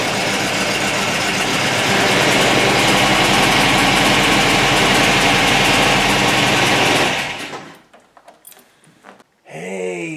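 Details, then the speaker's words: MGB Mark IV roadster (1965-1980) started after replacing the failed fuel pump with a new SU pump; engine runs steady and even, then shuts off cleanly; pump quickly builds pressure within spec, engine takes it well, no leaks. "there fuel pump sounds awesome it really quickly gets the pressure up to within specs the engine takes it really well"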